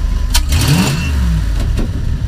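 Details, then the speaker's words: Engine just after a new Motorcraft fuel sending unit was fitted, stomped from idle: revs climb quickly and cleanly with no stumble or hesitation; fuel delivery healthy. "oh yeah no hesitation whatsoever we got ourselves a winner here"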